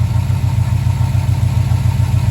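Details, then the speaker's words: Holden HJ ute, likely after sitting, at idle before warm-up, just after spraying Inox on the front alternator whose bearing sounded sketchy; now a steady, even low idle with no squeal or rumble, running normally. "Sounds like that bearing's a bit sketchy, although sounds good now."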